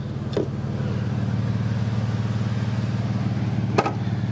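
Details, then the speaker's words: Jeep with the 3.6, all-wheel drive, with a loud exhaust, advertised as needing an engine: an even, deep, steady burble at idle with no knocks or misses, so the engine sounds healthy. "now here listen to this and tell me if you think it needs a ninja [Music] does that sound like something that needs an engine to you"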